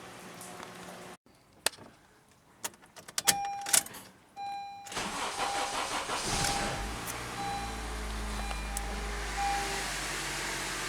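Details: 2012 Honda Civic GX running on CNG (natural gas), after a head gasket replacement. Several seconds of hesitant cranking before the engine catches, then it settles into a steady, even idle with no knocks or misses.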